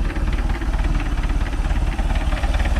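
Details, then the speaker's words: Mercruiser Alpha 1 Gen 1 3.0L 181 cid 140 hp boat engine, after a cap, rotor, points, condenser, plug and wire tune-up: a low, even idle of about two beats per second with no misses or knocks. Normal idle. "That sucker fired right up. Double check, make sure nothing's leaking. Doing good there now. Sounds good. Alright. It's got a good idle to it"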